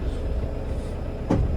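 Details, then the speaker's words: 2007 Toyota Innova, 284,000 km, hard clutch; moving in gear, a heavy clunk from the rear over low driveline rumble, worse when releasing the accelerator while running; worn propeller shaft universal (star) joint clunk. "ഈ sound നമുക്ക് റണ്ണിങ്ങിൽ acceleration വിട്ടെടുക്കുമ്പോൾ heavy ആയിട്ട് sound വന്നുകൊണ്ടിരിക്കുന്നത്."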